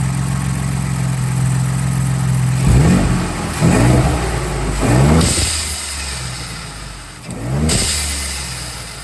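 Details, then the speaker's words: 2022 Ford Bronco just after fitting an ADDW1 blow-off valve: smooth idle with four quick throttle blips, the pitch climbing and dropping cleanly with no knocks; it revs healthily, and the blow-off valve takes a little while to activate. "like all right y'all that's it for the install yall just heard it sounds pretty good takes a little bit to get on to get the um BL off to activate"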